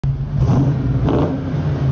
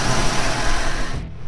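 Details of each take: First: 1991 Ford Mustang GT convertible V8 (Fox body), parked idling in neutral, clutch released: tinny exhaust-shield-like rattle rising in loudness and tempo with rev blips. It nearly disappears when the clutch pedal is pressed about 1/4 inch, pointing to a worn throwout bearing. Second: 1991 Ford Mustang GT Fox body convertible at idle in neutral, after repair of a rattle traced to the clutch throwout bearing area. Even, steady low rumble with only slight vibration and no rattle from the bellhousing; normal idle.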